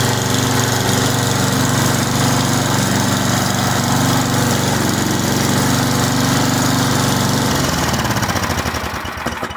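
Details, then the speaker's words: Simplicity snow blower small engine after carburetor rebuild, new fuel lines and coil and flywheel cleaning, with a fuel bowl leak still to fix: runs loud and steady with an even beat and no misses, then winds down smoothly at shutoff; normal running. "It sounds like it's running pretty good."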